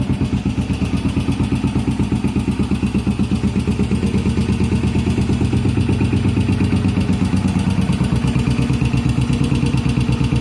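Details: 1981 Yamaha SR500 start-up after an oil and filter change, sump check ball/spring/gasket replacement and valve adjustment, still smoking, 115 psi compression: single thumping about three beats a second, lumpy and uneven; rough idle, cause unknown.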